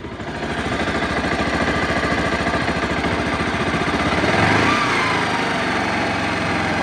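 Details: Bajaj Rouser/Pulsar 180 single-cylinder motorcycle after a DIY clutch lining (friction plate) replacement and oil refill: even thumping idle at about three and a half beats a second, no clutch-side rattle or clatter; the repair appears successful.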